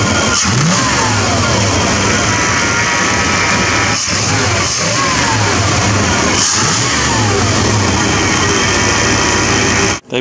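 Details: 1995 Silverado Z71 1500 with transplanted 327 V8, restart after tightening both gas lines: catches, holds strong steady run, revs climb and drop cleanly without stumbling; healthy.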